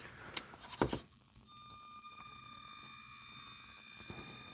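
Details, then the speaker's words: Redcat Ascent 32 RC crawler, new out of the box, steering tested on bench: a couple of thunks then a thin steady high whine for a few seconds; the stock five-wire steering servo and gear train are noisy. "Oh, the the servo is noisy though. And I also did notice I'm pretty sure it's a five wire servo."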